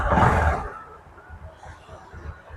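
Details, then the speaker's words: Honda Karisma motorcycle engine after a rebuild with a new connecting rod and nearly all main components replaced, earlier starved of oil: a short rev fades to a soft, even idle with no knock or rattle: normal running. "Ini untuk suaranya udah jauh teman-teman ya. Ini suaranya udah empuk kayak letong ini ya. Nah, udah kayak baru lagi."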